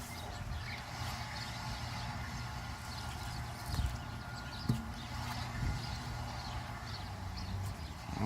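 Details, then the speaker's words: Mercedes 600SL, wheel spun slowly by hand: dull thump once per revolution from an oval, worn tire with tread separating and coming apart, the identified source of the noise. "get the idea that's where that noise as you can see it's not round so this is where the noise is coming from"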